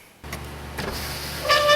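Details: 2008 GMC 2500HD, 6.0L, left door power window: short steady motor whir with faint rising tone, smooth, no grinding or catching; window works.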